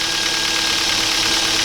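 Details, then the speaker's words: 2007 Kia Ceed 1.6 petrol, 150,000 on the odometer, cold idle: fast light clatter from the top of the engine that sometimes fades when warm; oil consumption up; suspected intake cam phaser, replacing it cured the noise. "kiaasit 2007 рік 1.6 двигун на одометрі 150 000 пробігу і маєм стучок слухайте чуєте прогрівається пропадає буває не пропадає"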